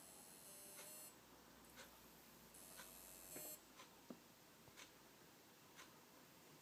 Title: WD My Live Book (NAS) drive making strange Noise